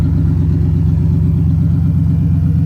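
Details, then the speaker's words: Rebuilt car after about half an hour of driving, heavy clutch: deep, even rumble with a smooth, steady pulse and no knocks or rattles; running great. "Everything's going smooth. Alright, you guys saw it. Car's running mint, having a good time."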